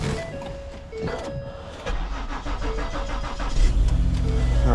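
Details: 2013 Ford Taurus called in for no crank, after a jump boost and tightening a likely loose battery terminal: cranks briefly, catches, then settles into a steady, even idle with no misses; healthy start.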